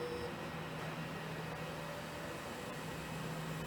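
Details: Australian Bore Pumps 48-volt solar pump, speed control set about halfway: quiet, steady low hum with even tone, no rattle or grinding; pump motor running normally.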